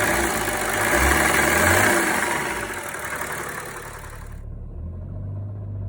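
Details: BMW 335d M57 diesel with the AC compressor belt cut: even idle with usual light clatter and no deep rhythmic knock. The ticking once suspected as injector or rod knock came from a bad AC compressor. Normal idle.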